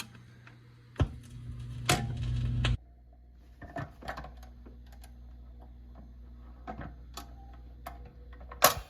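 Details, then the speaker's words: 1958 Motorola (Voice of Music) record changer after tonearm spring retainer replaced with a nail, playing a record: irregular sharp clicks and clunks with brief low hum burst as changer mechanism works, picked up by undamped tonearm (microphonics). "hear that that microphoning that you're getting um was originally dampened by this type of spring they used or the the spring retainer"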